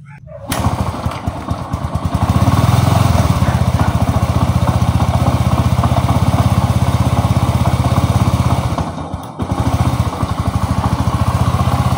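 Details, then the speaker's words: STX 125 motorcycle idling with a loud harsh clatter; mechanic is sure the connecting rod and side bearing are worn, engine to be overhauled. "Yan napakaingay ng kanyang makina. Ayan. Yan sigurado ito mga Gas yung kanyang Conrad yan napakaingay"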